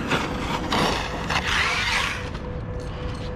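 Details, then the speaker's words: ARRMA Kraton EXB RC car, third run, bashing and flipping; gear whir rising and falling with throttle, with rapid ratchet-like clicking in bursts; drivetrain clicking, owner suspects internals grinding or new rear diffs, unconfirmed. "i'm afraid to do flips with it because it's clicking"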